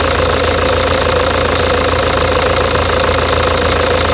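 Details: 2009 Toyota Hilux diesel, grey, at idle before repair: hard, fairly regular knock about three times a second over the idle, from a stuck (travado) faulty injector knocking loudly. The injector was later replaced.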